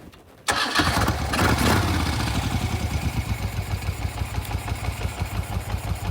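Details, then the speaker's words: 1974 Moto Guzzi Eldorado Police V-twin, engine and transmission recently rebuilt after a previous shop's faulty work: catches instantly after a short crank and settles into a steady, even loping idle. Runs well with no leaks. "So anyways, it's still going strong, it still runs beautiful. We ran it up here at Indio Hills, no leaks. She's running good."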